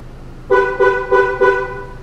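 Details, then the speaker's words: 2014 Ford Transit with doors that unlock but won't lock: four quick horn chirps on the lock command confirm the BCM receives it, yet doors don't lock; with aftermarket wiring present, technician concludes the BCM is faulty. "now we're going to do to lock one we hear the horn beeping that confirms that the BCM received that"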